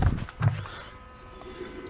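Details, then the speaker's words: Trailer electric brakes tested with brake controller at maximum: a couple of thumps, then steady low buzz from the magnets while the wheel stays locked; normal brake magnet operation. "Now you come over here and you can hear the buzzing of the magnets, but that's not moving."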